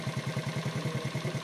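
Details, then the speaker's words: Honda ATC 70 single-cylinder with a muffler welded after the stock header, points ignition, starts easily, no smoke; steady even low putter about ten beats a second at idle; normal idle, though it bogs and won't take throttle. "Not smoking or anything. And that's just a muffler welded on after the stock header. So she will sit there and purr."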